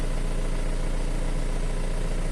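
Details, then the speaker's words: Isuzu Elf microbus diesel, checked as a used purchase and restarted after waiting for the glow indicator: a steady, quiet, smooth low idle with no vibration, stumble or uneven beat. Normal diesel idle. "masih enggak ada getaran sama sekali masih senyap ya masih halus dan suaranya bisa kalian dengerin"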